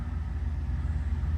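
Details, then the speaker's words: 1998 Camaro V6 with replacement used engine, 95,055 miles, running on gas 5+ years old, good oil pressure and charge, transmission won't engage drive or reverse: low even idle, no misses or knocks; normal idle. "Look at that charge. Look how smooth it runs on that 5 or longer year old gas."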